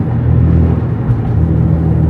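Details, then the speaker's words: Nissan 350Z heard from the cabin while driving, after fixing a Y-pipe exhaust leak with an extra-thick gasket at the Tomei cat and Megan test pipes. The earlier hissing/puffing is gone, leaving a deep, even exhaust rumble with no leak. "I don't hear it at all. The exhaust sounds super super deep."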